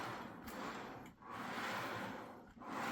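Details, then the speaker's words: HO scale model railroad car on a tight mainline curve, track now nailed down after derailing when unsecured; light rolling hiss with a thin high scrape swelling and fading as flanges rub, but the car gets through fine. "scraping, but it works out fine. I was derailing on it when I didn't have it secured down, but once I put nails in, I thought I better double check, and it came over fine."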